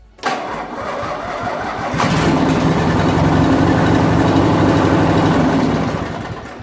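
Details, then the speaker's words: MTD Yard Machine riding mower, 17.5 hp Briggs & Stratton twin, 42-inch deck, after replacing a blown fuse under the panel (previously wouldn't crank or start): brief crank, catches at about two seconds and runs steady and even; normal start. "So it looks like we are back in business. That's all it was just a fuse underneath that panel."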